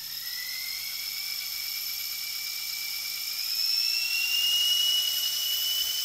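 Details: Toy RC helicopter converted from a brushed DC motor to a small brushless motor with ESC, held by hand as throttle increases: clean high whine climbing smoothly, no rattles or roughness; normal brushless motor run.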